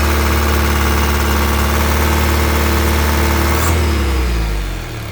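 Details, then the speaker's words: 2014 Isuzu Elf NKR71 diesel truck being revved, with no smoke from the open oil filler cap: a steady, even revved note that winds down smoothly with no knocks or rattles. Normal engine revving. "Semakin kenceng suaranya, semakin kuasar suaranya. Isuzu apa, khasnya Isuzu kan seperti itu ya."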